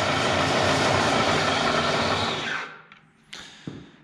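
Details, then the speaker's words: Bridgeport Series 1 2HP variable-speed J-head before repair, with rattling, rubbing and the belt seeming to slip when changing speeds: harsh, dense crackle at about four per second over the running head, dying away with clunks on spin-down. The crackling is inside the variable-speed head. "so it's just about the same just as bad something is definitely crackling on inside here"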